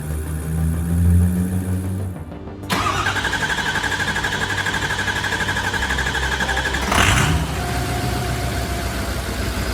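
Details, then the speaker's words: Abandoned Ford F550 diesel truck, second start attempt after lift pump fix, AC compressor and belt refitted: brief crank, clean catch, then loud steady jet-like turbo whistle over an even idle; normal diesel start. "sounds like a jet. All right, just like that, guys, she's running nice and beautifully."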